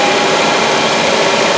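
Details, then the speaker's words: Mazda 5 on a hoist, drive wheels off the ground, running about 40 mph, listened with a stethoscope at each wheel: steady rough grinding roar, growl felt through the stethoscope; worn pressed-in front wheel bearing. "this one I can actually even feel the growling through it even without having the stethoscope on my ears"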